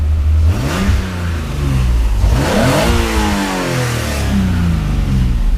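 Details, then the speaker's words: Nissan Z first start and short drive after engine work, cooling system unfinished, AIV and EGR apparently deleted, possible exhaust hole: smooth engine rising and falling through gears, clean steady exhaust tone, no knocks or rattles; normal running. "I don't know yet because the a IVs have already been deleted which I realized once I got under from the oil but she sounds good this she sounds real good"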